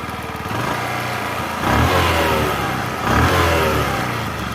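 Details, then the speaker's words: Platina Comfortec BS6 motorcycle after full engine rebuild: starts first try, settles to even idle, two clean throttle blips with no knocks or rattles; light ticking is from idle rpm sensor/auto-choke, normal; engine sounds like new. "देखिए, आवाज़ बहुत बढ़िया है। यहां से आने वाली टिक-टिक की आवाज इसके आइडल आरपीएम सेंसर की है। ऑटो-चोक से टिक-टिक की आवाज आ रही है।"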